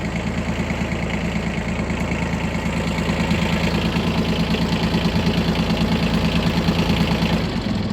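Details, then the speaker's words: Three-cylinder diesel of a Yanmar Ke-3 four-wheel-drive Japanese mini tractor at a steady idle: even clatter about three beats a second with no extra knocks or rattles; engine runs smoothly and sounds healthy. "Так давайте сейчас заведем его двигатель работает ровно без каких-либо посторонних шумов"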